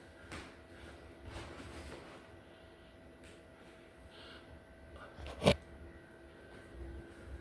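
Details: Sharp relay clicks about every second, one loud snap, from a Samsung 75-inch QN90A Neo QLED (QN75QN90AAF) at the power supply; restart loop, flashing red LED, no picture, backlight or sound, traced to main board, fixed by replacing it.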